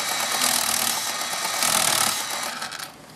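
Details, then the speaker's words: TA07 PRO RC car driving: high, gritty gear whir with rough clicking, worse when the wheels are turned. Binding in the front drivetrain is suspected, possibly the drive shafts or U-joints. "okay so I think I'm getting some binding in my front view joints or drive shafts or something so is what it sounds like driving you can hear the clicking and it's really bad when I turn the wheels"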